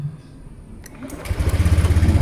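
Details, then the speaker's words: Motorcycle electric start on a repaired dry battery refilled with electrolyte; the third to fifth repeat start tests. A brief starter whirr, then the engine catches into a steady even thumping idle: a normal, healthy start. "Oke mampu kita coba lagi yang ketiga Oke masih mampu kita coba lagi yang keempat Oke mampu kita coba yang kelima"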